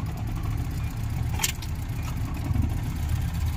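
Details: 2023 Maruti Eeco petrol van idling roughly with an uneven stumbling thump, check light blinking, AC tripping; codes P0300–P0304 random/multiple misfire, cylinder 2 not working; engine misfire at idle.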